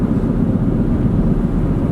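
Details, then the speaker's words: 2017-21 Honda CR-V after aftermarket driveshaft replacement (old U-joints faulty): test drive at speed, steady road drone with slow pulsing whoa-whoa following wheel speed, slightly quieter but noise still present; rhythmic tire noise, likely unevenly worn tread. "So it sounds a little bit quieter, but unfortunately the car's still making a bit of that noise."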